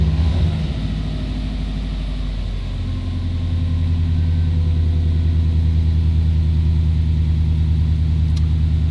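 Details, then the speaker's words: 20-year-old JDM EJ205 Subaru WRX wagon, flat-four at operating temperature: after a throttle blip the idle stays raised and steady instead of dropping back, with AFR still safe. "yeah it's staying High foreign so high well the AFR still look uh safe to uh let the car keep running"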